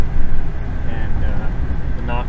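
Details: 2011 Chevrolet Silverado 3500 HD, 6.0 Vortec, driving on road after replacing intermediate steering shaft with Dorman 425-183: steady road and engine rumble with no knocks or clunks through the steering column; clunk gone.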